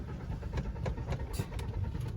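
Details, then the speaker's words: Car cranks in quick, even starter pulses but never catches or fires; crank no start, with the owner noting its service is overdue. "I am getting late and this car is not getting started. Why it is cranking?"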